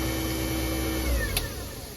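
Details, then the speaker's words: New American Standard garbage disposer under a Kohler sink, powered via a surge protector: smooth, quiet, steady whir then an even spin-down with no rattles or grinding; running normally. "It's actually pretty neat. It's very quiet. doesn't have that aggravating sound. It's kind of like this nice whirring"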